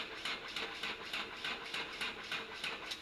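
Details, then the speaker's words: Freshly overhauled 4TNE98 forklift diesel engine on a test stand with no muffler or exhaust, glow heater used first: slow, labored cranking at about three strokes a second that never catches; the weak battery can't spin it and must be recharged. "Mahina yung battery hindi makaikot so tanggalin ulit para i-charge"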